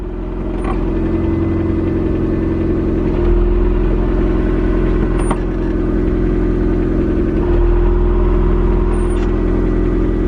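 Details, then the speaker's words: Idling KRX with a steady whirring hum that goes away when the clutch pedal is pressed; owner unsure whether input shaft bearing or release bearing, transmission-side bearing suspected, not confirmed. "But I'm not sure if this is an input shaft bearing. I'm not sure. Could be the release bearing. You can hear that noise. And then when I step on the clutch, it goes away."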